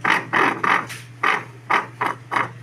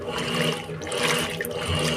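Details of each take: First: Electrolux washing machine running a cycle, also noisy during spin: repeated uneven scraping bursts, about two per second, each time the drive engages; the part under the cover with a gear is probably rubbing, a worn drive bearing grinding. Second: Electrolux washing machine after replacing a small worn bearing in the mechanism, full water level: steady sloshing and churning with a soft motor hum, no knocking or grinding; the loud agitation noise is gone and it agitates normally.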